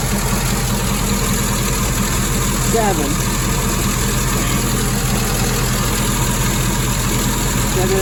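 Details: 1961 Triumph TR3A, twin SU carburetors, idling after ColorTune mixture setting and suction balancing: steady, even idle with smooth low beat, no misses or hunting; carbs balanced, engine healthy.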